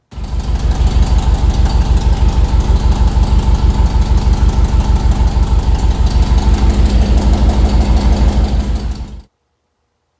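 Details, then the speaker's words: LS engine in a truck, first startup after rebuild, heard from underneath: sharp regular puffing tick about three per second with idle; exhaust leak not from new donut gaskets but a cracked exhaust manifold flange. "if you couldn't tell got a bit of an exhaust leak there i put new donuts in it i thought maybe it was my new donut"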